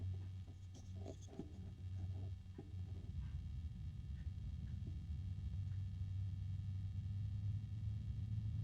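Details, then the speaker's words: AMChoice RSL06-360-ARGB1 AIO cooler radiator fan at minimum speed: low, steady droning hum with a grumbling throb, sounding strained and resonant, with a harmonic resonance; cause unknown. "I've got it at the minimum speed and it's kind of grumpy sounding I don't know how else just to describe it but clearly at this speed it is not happy about having to"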